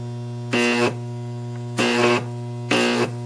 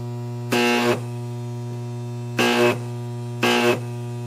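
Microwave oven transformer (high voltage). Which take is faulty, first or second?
second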